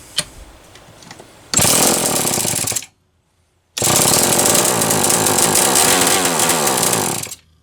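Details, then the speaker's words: Homelite XL-123 chainsaw, unused about six years, carb cleaned: roars about a second, cuts dead, restarts and runs three seconds before dropping out again; intermittent engine cut-out, intermittent spark certain but cause unknown. "i am certain that is an intermittent spark but what is causing it"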